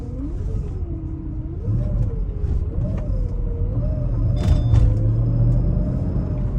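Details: 2006 Mercedes-Benz SL500 with ABC active suspension, in for coilover conversion: steady thin whine over low engine rumble, barely changing with speed; source unknown.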